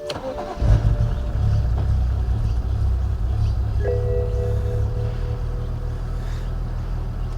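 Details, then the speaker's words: BMW E92 335i N54 with a known problem engine: it cranks, catches with a stumble, then settles into a lumpy, uneven "steamboat" idle. A rough start, cause not yet pinned down. "yep still sounds like a steamboat a steamboat canal boat"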